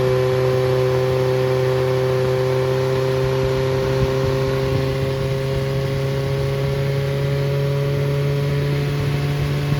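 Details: Freshly rebuilt Triumph Spitfire 1300 (1296cc) engine from a 1972 Spitfire, 270 cam, head shaved to about 8.5:1, balanced, held at fast idle: smooth steady tone, even firing, no knocks or misses; good oil pressure, compression 137–140 all cylinders.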